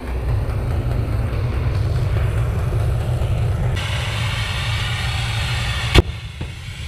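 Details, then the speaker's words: Diesel-fired Steam Jenny 200 Plus steam cleaner after clearing a clogged nozzle: burner roar shifts to a hiss, then a sharp bang as the 80 °C fusible plug, only hand-tight and partly melted, blows out. "found the cap looks like it started to melt and there's the unit it came out of that flew quite a bit maximum 80° C that probably is the reason for failure"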